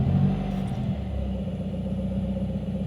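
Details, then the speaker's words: 2018 Subaru WRX after vacuum leak repair and ECU reflash: even, smooth idle with a brief light blip of revs, no stumble or hunting; normal idle. "it's idling fine it feels smooth and it hasn't died"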